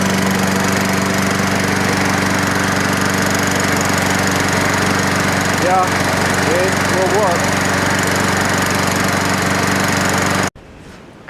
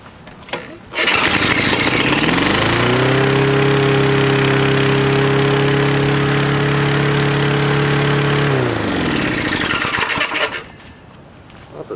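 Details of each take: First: Toro Recycler lawnmower after the governor was adjusted and the idle speed adjusted. The single-cylinder holds a steady, even drone with no misfire or surging, then shuts off cleanly; it is running normally. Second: Toro Recycler lawnmower, indoors, testing the governor arm: the engine fires, climbs to a high steady roar, then sags instead of holding speed. The governor arm is loose and strips out, so it won't tighten and moves all over the place.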